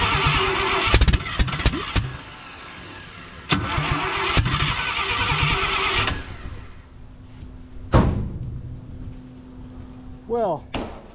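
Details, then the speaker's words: 1968 International 1100C truck with engine from a 1976 Scout II, first start in years on ether: cranking bursts, engine catches in uneven spurts into a shaky stumbling idle; rough, a little smoky from Marvel Mystery Oil in cylinders, not yet tuned. "she fired up um pretty stoked that's the first time it's fired uh inside this vehicle um a little Smokey"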